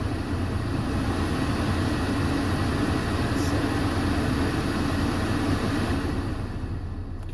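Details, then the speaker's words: 2010 Mercedes C300 (W204) blower motor after replacing voltage regulator (resistor), engine running, AC on: strong, steady air rush with even hum, no rattle; fan now passes fourth bar to full speed, normal. "All right. So, that was it. Now, it's really cranking."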